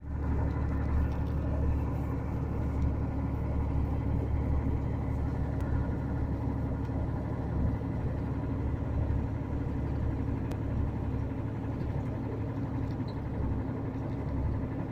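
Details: VDL Berkhof bus with DAF diesel engine idling: deep rumble with a dull, uneven knock about four times a second; rod knock or piston slap suspected, not confirmed.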